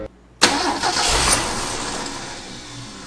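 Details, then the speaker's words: 1965 Ford F250 300 six, parked about 17 years, start with choke closed and fuel poured down the carburetor vent tube: catches with a sharp burst, revs briefly, then fades out; owner suspects no fuel reaching carburetor or stuck float. "it wants it why didn't it stay running there's a little in there and see what happens we're either not getting fuel up to the carburetor or float is stuck"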